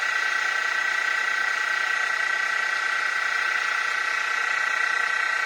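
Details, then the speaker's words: Mini mill after a Little Machine Shop belt drive kit upgrade, running in low gear: steady even motor whir with smooth belt hum, no gear grinding, rubbing or knocking; normal running. "That is so much quieter. No more of that gear grinding, clunking, clacking."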